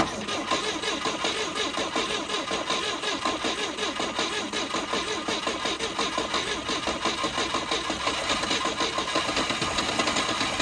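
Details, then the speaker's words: 1971 Volvo 142, B20B engine, fed from a boat fuel tank set above the carburettor: it chugs unevenly at about three pulses a second, almost catching but never settling. Sputtering failed start; owner unsure whether it is misfiring, fuel-starved, or both. "it's almost there man I don't know if we're not firing on all cylinders or we just don't have enough fuel could be a little both"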